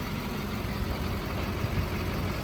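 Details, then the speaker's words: Duramax LBZ diesel truck with 265,000 miles at idle: low, even rumble with steady beat, no knocks or misses; healthy idle. "It may seem kind of silly to do all this, but this thing's got a Duramax, it's got an LBZ in it."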